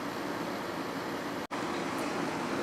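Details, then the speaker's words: Quasar window air conditioner in a hot upstairs room with warm humid weather: even, steady airy fan and compressor hum, no rattles or squeals, getting nice and cold; running normally. "Quazar is getting nice and cold."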